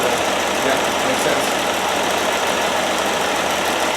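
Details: 1969 Land Rover Series 2a six-cylinder, rear cylinders previously misfiring, after spark plugs checked and refitted: steady even idle, no misses; all six cylinders firing cleanly.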